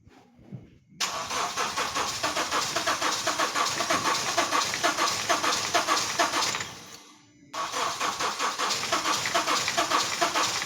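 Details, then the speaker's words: Honda Step Wagon R20, no-start confirmation; the engine overheated after the fan was wired straight to the battery, following cooling and shifting faults: two long stretches of steady starter churning, about two beats a second, with no firing; it cranks but won't start. "So afterward it overheated and then it is cranking but not starting. So let's just confirm the customer's complaint."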